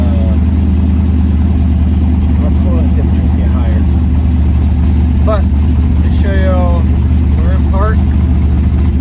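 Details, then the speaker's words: 1972 Chevy El Camino V8 on Holley Terminator X, not yet tuned and with no exhaust: a loud open-pipe rumble at idle with an uneven, loping beat. Rough idle, likely from the missing tune, not confirmed. "It still does not have a tune, and it still does not have exhaust."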